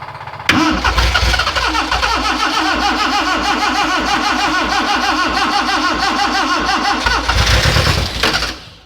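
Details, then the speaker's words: Freshly rebuilt Morris Minor, first start attempt, no oil pressure yet, fuel pump just connected: starter churns steadily about eight seconds with no firing; owner suspects a fuel delivery issue, plans choke with pump running. "all right so it's a delivery process delivery issue we have"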